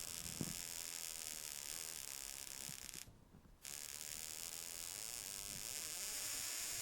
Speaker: you can hear the vibration down here where the spring and the lever continually opens and closes and i can adjust this